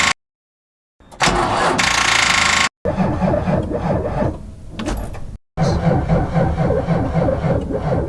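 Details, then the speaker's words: Car that won't start: the starter spins the engine in brisk, even bursts, about four compression beats a second, without catching. The starter is working, so the fault is likely the battery or another problem. Cranks normally, no start. "but if we hear something like this I will show you normally it's the battery or other problems so it wouldn't be the starter"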